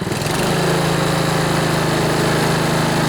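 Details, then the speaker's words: Honda HRB215 lawnmower engine after carburetor cleaning, which had previously started then died and ran only on choke: choke off, air filter removed, it picks up to a steady, even hum with no surging or dying. "All right, I just turned the choke off. We'll see if it'll idle. Yeah, that sounds pretty good."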